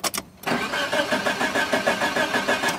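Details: Engine with a Jaycar/Silicon Chip ignition timing module driving an old 1970s CDI box, with the green trigger wire disconnected. Starter churns at about three turns a second, never fires; crank, no start.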